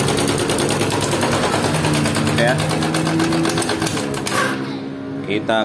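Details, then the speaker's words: Yamaha Jupiter MX 135 engine before teardown: fast, uneven metallic clatter about four per second over the running engine; badly worn cam chain slapping. "Kara suara mesinnya udah parah terutama di area rantai keteng rantai keteng udah parah banget"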